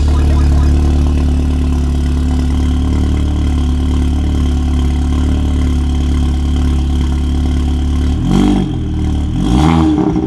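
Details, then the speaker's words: Audi MK2 8J TTS with TTRS low-pressure fuel pump, just after Torqbye PM4 fuel pump control module install: deep fairly even idle with a few soft pops and a small blip near the end; popping at idle, cause unknown. Cause suspected, not confirmed. "it pops that's interesting"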